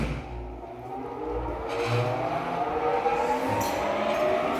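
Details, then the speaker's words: Induction motor started at reduced 90 V through autotransformer (compensating starter), about 40 A peak starting current: hum climbs slowly in pitch as motor gathers speed, clean gradual start with nothing rough. "essa é a corrente que a gente tá tendo na partida do motor com 90 V"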